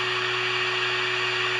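Steady, unchanging electronic whine with faint hiss behind it, coming from the signal generator on standby rather than the radio.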